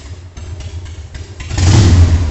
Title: Slow idle speed Harley-Davidson Sportster 1200S after Rebuild engine & Tune up #sportster #harley